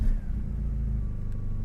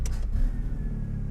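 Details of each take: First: 4G63-swapped AWD Mini Cooper, untuned, spark advance locked at 5 degrees, throttle blips after adjusting acceleration enrichment (had been going lean then flooding rich): deep note rises and falls cleanly without stumbling or popping; smooth acceleration, no longer sputtering. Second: DSM 4G63-swapped AWD Mini Cooper, untuned, on a throttle stab: short rev that bogs and sags back into a low rumble; goes lean quickly, then floods rich, so acceleration enrichment probably needs increasing.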